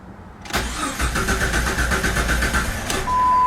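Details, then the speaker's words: Vehicle that died after a test drive, hot restart attempt: starter cranks at an even four beats a second for over two seconds without catching; no RPM signal while cranking points to a faulty crankshaft position sensor. "there's no rpm change right here and that is an indication or that points us towards the crank sensor"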